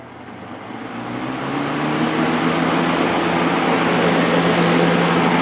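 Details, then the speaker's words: Vintage Kel Aire model 7000 box fan with a 3-speed Marco/McMillan motor, started on high before cleaning. The hum climbs over the first two seconds, then settles into a steady low drone with an even rush of air, moving a lot of air; it runs normally. "moving a lot of air"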